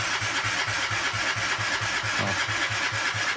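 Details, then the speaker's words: Fuel-injected Yamaha Jog SA36 scooter, won't start after owner's disassembly (fuel pressure 2.5 bar, injector, plug, coil replaced): uneven chugging catches then dies; engine fires briefly then stalls, cause unlatched throttle body sensor connector, error code shown. "запускатися не хоче от він схватити і все"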